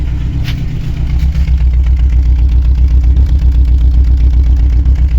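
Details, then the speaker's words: Chevrolet Aveo 1.5 8-valve Opel engine, rebuilt two years ago, mileage unknown: rough lumpy misfiring idle with no check-engine light, from a head gasket breach, suspected into cylinder 4; coolant in the expansion tank is gassing. "Блін, двигун троїть, а чек не горить. Оце прикольно, конечно. Добре чуєте, як йому погано."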